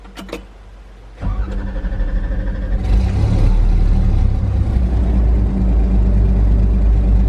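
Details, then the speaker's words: John Deere diesel with 6 new fuel injectors and a new transfer pump, running with no muffler. It cranks briefly, fires and catches, then settles into a loud, steady unmuffled clatter that stays even. It runs normally. "all right we're gonna try to crank it here don't have no muffler on it right now so"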